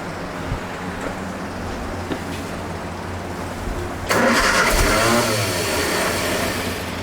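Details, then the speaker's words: MGA 1600 roadster, cold start, manual choke held by hand, new cheap exhaust: engine catches, runs, then stumbles and fades as the choke is released too fast; needs to warm up. "Choke loose too fast. Oh, is that what it was? Yeah. Needs to warm up for a minute."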